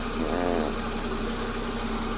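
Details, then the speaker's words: 2014 VW Jetta after new fuel pump and fuel tank vapor valve replacement, first start with a fuel line still too short and needing replacement: steady, even idle with a smooth low hum and no misses or knocks. Normal idle. "all right well let's at least plug this in start it up see what happens all right it's running when I got to fix that fuel line"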